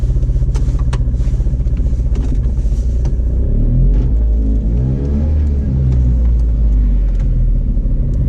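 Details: Piaggio Ape 50 engine: choppy uneven low putter at about four pulses a second, swelling as it revs; abnormal weird engine sound, cause unclear.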